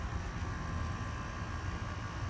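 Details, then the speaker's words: GE 5000 BTU window air conditioner (Quingen compressor, R410A) that had run 24/7 with algae growth from condensate. Steady low compressor hum with vibration shaking the camera and a faint, very slight squeak or screech; cause unclear. "Tell me if that compressor sounds healthy, because it sounds only a very, very slight bit like squeaky or screechy."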